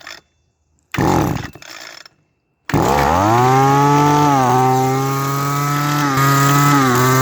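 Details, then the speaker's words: Echo SRM-200BE trimmer started on choke: catches and screams at high revs, but with throttle held steady the pitch dips and stumbles, misfiring, losing power, then dying; cause suspected, not confirmed. "so that's what happens when I hold down on the throttle and don't let go of it it runs starts misfiring and then loses power and then dies"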